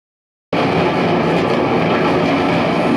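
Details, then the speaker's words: Mesa Boogie Caliber 50+ tube amplifier after bias supply repair: sudden loud constant rushing crackle appeared on touching a tube; suspected failing component, likely resistor, in the first preamp stage. "Ese es un ruido que apareció apenas toqué un tubo. Realmente muy a punto de fallar. Sospecho que es un componente de la primera etapa."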